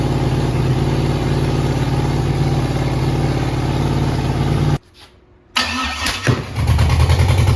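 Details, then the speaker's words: Freshly rebuilt 5.3 LS V8 with a Truck Norris cam and BTR beehive springs, on its first start with an MSD ignition box on a preset. Loud, lumpy, uneven running cuts out and bangs back. Misfire from wrong ignition timing. "That made me jump. Doesn't like this timing, does it?"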